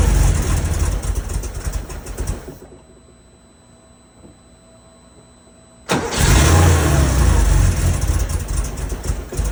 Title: 911sc rough start with vacuum leaks + backfire